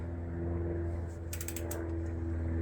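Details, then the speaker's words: Trek Verve+ e-bike with replacement cartridge-bearing wheels (12-speed wheelset adapted to 9-speed), freewheeling: quick burst of sharp, even clicks over a low hum. This is normal ratchet noise from the six-pawl freehub, which is noisier than usual. "and they are noisy and the reason they're so noisy is because there's six in a normal uh cassette Hub there's six Paws that catches the uh the free wheel"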